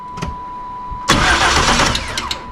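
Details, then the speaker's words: 1988 Camaro RS that sat over a decade, after fuel-system work with current confirmed at the injector: quick, even cranking with no firing and no start; the injector signal seems fine, and the idle air control valve is suspected next. "So the injector, in my opinion, it's being told to fire. So I don't think it's the signal to the injectors."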